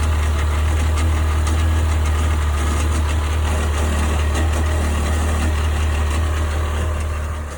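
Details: 1998 Sea-Doo GS 720 personal watercraft at idle: deep droning with a slightly uneven, lumpy pulse; owner asking what the strange noise is, cause unknown.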